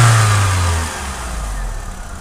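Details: Opel/Vauxhall Vectra B with Z16XE 1.6 16V petrol engine, ECU code P0304-00 cylinder 4 misfire: blipped and dropping back, exhaust note uneven and lumpy.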